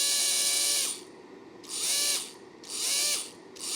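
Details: Old roughly 7.2 V drill motor with speed control, bench-powered at 7 V, 10 A limit: short trigger pulls give high rough gravelly whine varying with speed; owner suspects worn motor bearing.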